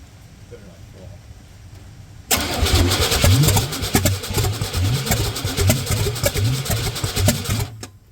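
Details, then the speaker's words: Junker-88 K1500 truck in the rain: starter cranks about five seconds with uneven, lumpy chuffs but never catches; crank no start, distributor rotor found turned so ignition timing was too far advanced. "Actually, it was turned it was it was turned this way a little. So, it was too far advanced."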